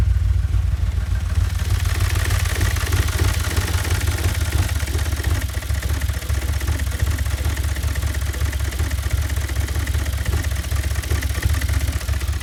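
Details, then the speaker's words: 2008 Audi S5, 4.2 V8 FSI naturally aspirated direct-injection engine, running poorly, later diagnosed with in-cylinder pressure and intake/exhaust pulse analysis. Deep, uneven, lumpy idle with clatter on top; rough idle, possibly a valve timing problem. "And it is just a bit poorly. I'm going to start it up and let you listen yourself."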